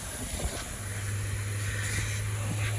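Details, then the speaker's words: Vehicle idled about 10 minutes, air pressure holding higher than before; faint steady hiss over engine hum from compressed air leak in brake system, firing out the top of a poorly pressed JB Weld repair. "You can hear a little hissing still, so I'm going to investigate. Oh, that's not sounding good. Yeah, she's still hissing a little bit."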